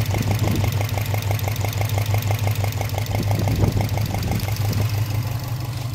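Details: Subaru Impreza WRX boxer warm after about an hour of running, at idle, passenger side: sharp regular knock or burp about three times a second from cylinder 1 or 3; driver side much quieter; piston slap suspected, not confirmed.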